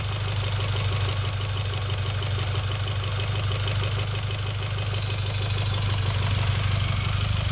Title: Evo X ticking noise